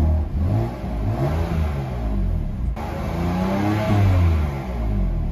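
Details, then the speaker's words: 2015 BMW M4, 48k miles, salvage title, engine almost warm after a couple minutes' running with no coolant, revved: smooth blips rise and fall with a clean, even exhaust note, no knock or rattle, not smoking; healthy engine. "good. All good, of course, not smoking, everything good."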